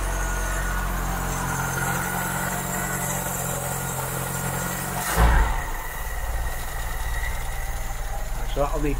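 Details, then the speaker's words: 1972 Mk3 Ford Cortina GXL just fired up after a service and tune-up, running normally on the choke: a steady, slightly raised, even low hum. The light ticking is the PCV valve, which always ticks. "cover up just a little bit that was running on the artichoke tick over"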